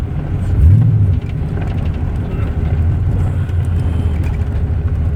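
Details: OBS Chevy Tahoe 6.0 V8 prerunner running: deep steady rod knock keeping pace with engine speed, which appeared after a shop visit. There is smoke, and cylinder 4 has less than half the compression of the other seven cylinders; the truck sat almost a year.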